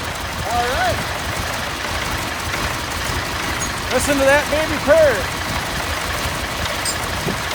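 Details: Massey Ferguson 1155 tractor diesel, parked for years over a hydraulic issue, running after fuel was drawn up to the filters through the electric fuel pump; low, steady chug with no missing or stalling, normal running.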